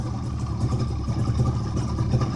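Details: 1958 Saxomat 1000s two-stroke, first start in decades after freeing seized pistons and rebuilding fuel pump, running rich on 16:1 oil mix: busy low putter with even beat, slight speed swells, no knocking; running normally.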